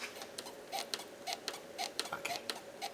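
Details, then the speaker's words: 2010 Ford Fiesta 1.6 Zetec S rear solid axle levered with a bar; short sharp rubbery chirps about twice a second, little visible movement; worn rear axle bushes creaking. "you might be able to hear that now don't get me wrong it's not excessive movement at all but you got to remember I'm just putting a certain amount of force using a lever bar on this"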